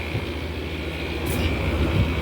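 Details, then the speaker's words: Kenmore Cool N Lite (GE Carry Cool) window AC with rotary compressor, after oiling fan, weak condenser airflow and dirty coils: loud steady low rumble with constant high hum; compressor noisy, possibly overheating. "I'm going to B is making a lot of Racket might be overheating it so I'm going to cut that off"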